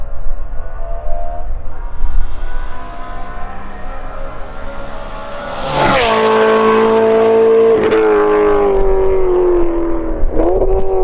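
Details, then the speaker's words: BMW E9x M3 with a full titanium exhaust, on a track day: a full-throttle flyby. The engine pulls hard with a clean rising howl, then the pitch falls as it passes; strong and even, no misfire. Healthy full-throttle run. "This next clip is what we were going for. So this is a good clip, and it's an awesome flyby, so"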